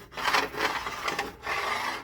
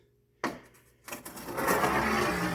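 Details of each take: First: Hemi roller lifter from a good-looking lobe rolled back and forth on smooth glass: soft, even, quiet rub with no clicks or catches, a normal lifter. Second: Hemi roller lifter rolled by hand across a sheet of glass: gritty, rough rumble instead of a smooth spin, though the roller looks smooth with no pitting; worn roller lifter bearing going bad.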